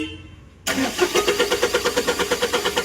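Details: Tata Intra V10 BS6, check-engine and OBD lights blinking: starter cranks steadily about three beats a second but never fires; crank no-start, a missing line was found.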